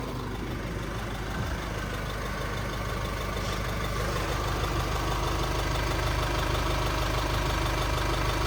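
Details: 2016 GMC Canyon/Colorado 2.8L Duramax diesel idling after new fuel filters, oil change and priming: steady, even, slightly clattery idle with no misses or odd knocks, a healthy engine.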